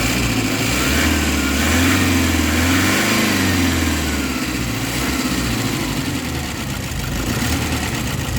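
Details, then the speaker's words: Toyota Hiace D4D diesel with low power and weak pickup, no check engine light, revved during diagnosis: revs climb slowly and sluggishly after each throttle blip. Severe throttle response delay, cause not yet found. "Total delay, ayan yung galit ng makina, delay masyado guys"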